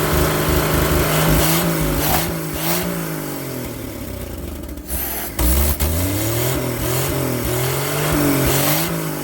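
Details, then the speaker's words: Old carbureted truck engine, not run in 30 years: on choke it idles, then revs up and down several times with pitch tracking the throttle. Oil pressure 42 psi, nearly 50 revved, slight smoke as the rings seal. "ah he saw it it went up to almost 50 pounds when I revved it up and I just smoked a little bit but it ain't been ran in 30 years so it needs to seal the Rings"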